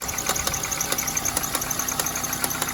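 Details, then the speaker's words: Dodge Neon idling: sharp snapping ticks about three times a second; an alternator belt not tightened properly jumped over and is shredding. "I didn't do that, so it, jumped over and started shredding"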